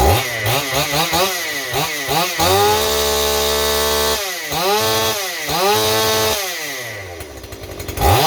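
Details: Stihl 028 chainsaw with blowback, after new crankshaft seals and a carburetor rebuild: revs blip up and down then hang high and screaming, running away; owner suspects an air leak at high rpm behind the carburetor or intake boot, or the carburetor.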